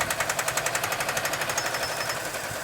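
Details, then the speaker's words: Chevrolet Chevelle V8 barn find abandoned 24 years, just revived with limited oil: harsh, sharp metallic hammering at about nine hits a second inside the engine, fading slightly; loud knock, cause unknown. "that's great what was that I was going to say we were just going to let it run but that was it I think telling us it's not happy what was that I have no idea"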